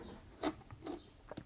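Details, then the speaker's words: Singer Featherweight 221K Centenary sewing machine being restored, turned over: slow uneven metallic rattle from a dry hook race; a little oil quietened it a lot. "now you can hear that rattle i think most of that's the hook a dry hook race"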